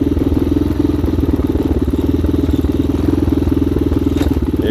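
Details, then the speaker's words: 2019 Hawk 250cc single-cylinder with a newly replaced carburetor, on a cold day during the first ride: it comes down to a nice, even, steady idle with no misses or hunting. Slight cutting out was noted at about 3/4 throttle. "we go not too bad let's see that thing comes down to a nice idle"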